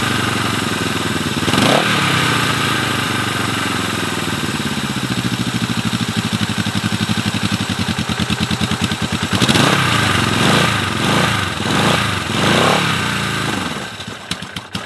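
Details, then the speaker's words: Abandoned Honda CB450 twin after 20 years: idle hunts and surges with ragged blips and dips; both cylinders run, fine under throttle; owner suspects incomplete fuel flow at fuel lines/petcock, not carb adjustment. "Seems like to me a minor adjustment needs to be made in the fuel lines and the petcock. It looks like there's not full fuel coming. Both cylinders are running, and under throttle they're running fine."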